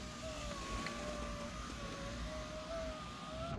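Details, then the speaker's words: 2006 Mercedes C230, about 78,000 miles: even, steady power window motor whirr holding one pitch as the glass travels, soft stop at the end; works normally after new window regulator installed. "now I'm gonna bring it back up and there it is I just finished installing the window regulator so the window's able to roll up and down"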